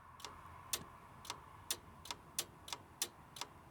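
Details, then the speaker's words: John Deere 450B dozer, after engine removal, oil-leak fix and new clutch, fuel system just bled: fuel shut-off solenoid on the Roosa Master pump clicks audibly with crisp ticks, two or three a second; working properly, giving positive fuel shut-off against runaway. "it's pretty audible on these rusa Master Pumps so that's working that's good"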